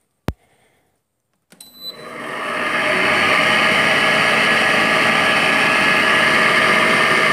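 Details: Window air conditioner turned noisy after being stored; owner had cleaned it before storage and suspects water got in. After start-up clunk it runs to a loud steady roar with rough grinding edge; worn fan motor bearing.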